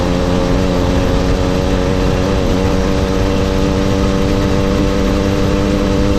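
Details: Mildly ported motorized bicycle two-stroke engine, stock carb and exhaust, riding; steady even buzz, clean constant note, quiet and smooth, no misses or rattles; normal running.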